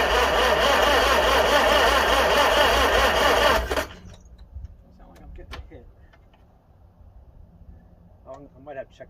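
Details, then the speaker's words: 1955 Farmall 300 row crop after sitting 14 years, timing rechecked: steady cranking about two and a half turns a second for several seconds, never catching; not a drop of fuel at the carburetor, owner plans swapping carburetors. "I'm going to check and see if we're getting any fuel yet not a drop"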